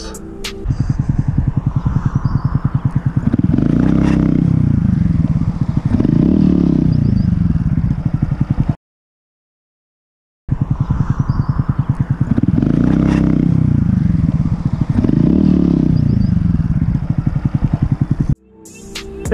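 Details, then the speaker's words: Honda Grom running with a dense, rough grinding rattle over its low beat; the fix was replacing the clutch plates and clutch springs. "so not too long ago my groom had some weird grinding sounds I'll couldn't figure out what it was really"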